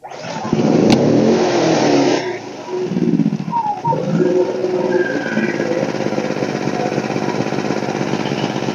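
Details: One-year-old WEN 2000 W inverter generator after clogged spark arrestor cleaned (no-start fix): engine catches after a few rough seconds, then settles into a steady even drone under light load; runs normally.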